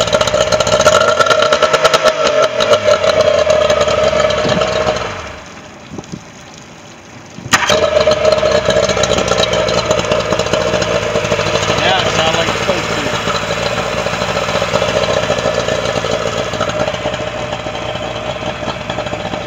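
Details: Yamaha 40 hp outboard after new head gasket (had 7 psi on cylinder three), carburetor kits and new spark plugs, sat a couple of years: runs steadily with an even tone after a brief drop-out.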